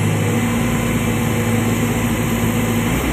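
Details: Komatsu PC200-10M0CE excavator diesel, about 3000 hours, history of CA2249 and CA559 faults, just serviced, P mode around 1800 rpm lifting the arm: steady deep drone under hydraulic load without sagging or hunting; engine pulling cleanly.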